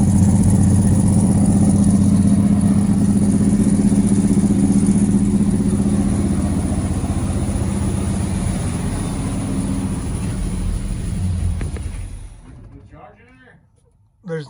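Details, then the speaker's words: 1970s Buick GS with a 455 V8: smooth, even idle with a steady low beat and oil pressure and no ticking, where it ticked before; normal running before it shuts off, though there is no generator light and no voltage. "Still oil pressure. Yeah, the motor sounds good now. It was ticking before."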